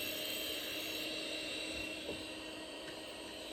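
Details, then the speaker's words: Amiga hard disk powered up bare outside the computer: steady, high-pitched whine as it spins up and down, no scraping or clicking, and it then reads with its light blinking; normal hard disk spin. "But just it spins up and spins down, powers up and powers down. You can just hear the spinning over there."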